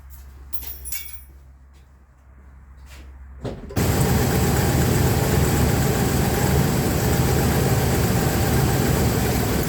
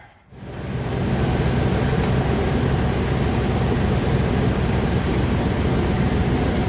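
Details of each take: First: Dodge Ram 1500 3.6 V6 (owner unsure of engine): a few clicks, then cranks and settles into a rough idle from a dead cylinder; cylinder misfire, suspected spark plug. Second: Dodge Ram 1500 3.6L V6 at idle after a new spark plug was fitted to cure a misfire: steady, even rumble with no stumbles or skipped beats; all cylinders firing cleanly.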